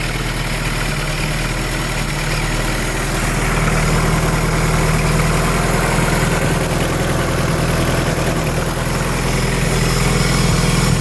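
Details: Honda B18B1 with forged Wiseco pistons, Clevite bearings and 15W-40 diesel oil, cold startup: loud, steady hollow knock about three per second over the idle, described as piston slap.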